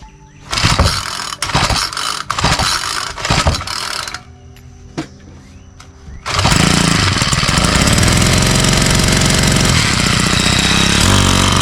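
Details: Troy-Bilt four-stroke string trimmer that won't rev: after several pulls it catches and holds a labored idle that never climbs, starving for fuel; carburetor has no adjustment, so spark plug and cylinder are checked next.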